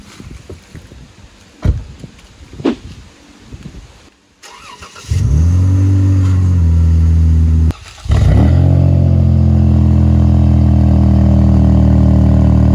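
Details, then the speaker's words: Dodge Durango after swapping the blown engine for a Durango GT engine, first startup: after handling noise it fires at once, settles to a smooth steady idle, takes a short blip and runs evenly. "Now I'm gonna give that our first startup. Well, I really already started up, you know that, because you see it move, but we're gonna give y'all that first startup, let y'all hear it real quick."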